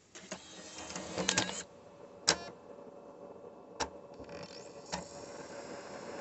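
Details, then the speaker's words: Nintendo Wii reading a Super Smash Bros. Brawl disc, the only disc that does this: faint spinning whirr with irregular clicks and clunks as the drive struggles, game recognised but slow to read with a delay; owner unsure if normal. "this is the only disc I have that does this it's just a little bit slower when it comes to reading a dis don't believe me I'm just wondering if if this noise is normal"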